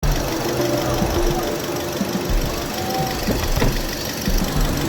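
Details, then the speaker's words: Engine with scanner code P0301 cylinder 1 misfire (history P1605 rough idling, P1603 stall): an uneven idle with irregular stumbles and dull thumps every couple of seconds; cylinder 1 misfiring. "Miss fire कर रही है। सिलेंडर 1 miss fire DDC।"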